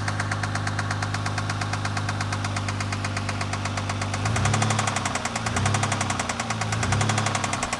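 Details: 2000 Mercury Cougar idling with a sharp, steady knock of unknown cause that speeds up each time it is given gas.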